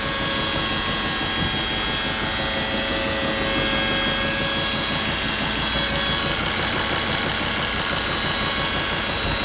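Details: Volvo idling with a steady high buzz layered over the even idle pulse, which seems to come from the driver's side; buzzing noise.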